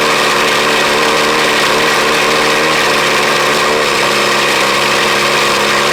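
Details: 1983 Ford Ranger cold start in snow: steady, busy idle with a slightly uneven beat, pitch dropping a touch as it settles into warm-up; starts right up, started poorly at first until air cleaner was removed and left off; normal.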